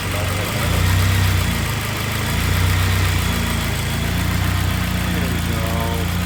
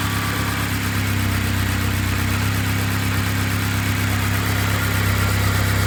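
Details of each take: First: Turbo K24-swapped BMW E36 after head gasket repair, restarted after reconnecting the fuel pressure regulator vacuum hose: idle starts uneven and lumpy, then steadies to an even beat as rich running leans out. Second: Honda K24-swapped BMW E36 after head gasket repair with freshly redone head, turbocharged, initially too rich then leaning out; even, smooth idle and light throttle with no knocks or misses, sounding good, no leaks found.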